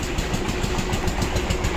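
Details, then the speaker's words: Honda Shine SP 5-speed motorcycle idling after start with quick metallic clatter, about seven ticks a second, from worn timing chain and tensioner; engine to be opened. "तो इसमें एक problem हो गया दोस्तों, जैसे start करते हैं engine से खटखट खटखट खटखट साउंड आ रहा है, ठीक है ना। उसका साउंड कौन चीज़ का दोस्तों? टाइमिंग चेन का। टाइमिंग चेन टेंशनर, वो दोनों का ही साउंड है।"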